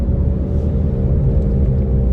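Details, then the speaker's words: MINI JCW after a DIY engine rebuild, on its first drive after passing the MOT and a wheel alignment: a heavy, steady low drone from the front with no knocks, present in a straight line and when turning left but gone when turning right; the owner suspects a wheel bearing. "What is that noise? Turn right, it's fine. When I turn left, it's there. In a straight line, it's there. I have a feeling I'm going to have to order a wheel bearing."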